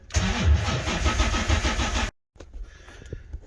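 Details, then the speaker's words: 1980 Corvette C3, first start attempt in 2 years, fuel pump and fans running: starter turns about three times per second for two seconds, then stops without firing; cranks but won't start, owner suspects battery needs a charge. "pump is working fans on let's see if it starts okay so sounds like the battery needs a little bit of a charge"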